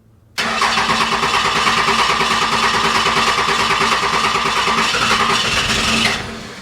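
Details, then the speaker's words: 1995 Dodge Cummins 12-valve P-pump diesel, junkyard truck not running, fuel solenoid holding with 12 volts: starter cranks steadily about six seconds without firing; owner suspects air in the fuel lines, unconfirmed. "Must be getting the air out of the lines."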